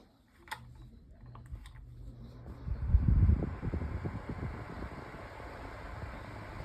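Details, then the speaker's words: Sunbeam 8-inch oscillating table fan on its low setting. A few switch clicks, then a soft, steady whir with no knocks or rattles; noticeable but not overly loud; normal low-speed running. "Okay, so it's loud as you guys can hear it's loud. It's not um but it's not like overly loud."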